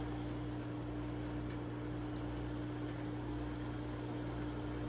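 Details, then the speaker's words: Newly installed Hygger 158 aquarium air pump with uncut long lines to a manifold, just switched on: a steady, even buzzing hum with a soft rhythmic air pulse and no rattle, audibly sucking air. Normal running. "Can hear it sucking air. Know if you can hear that. It's not too bad."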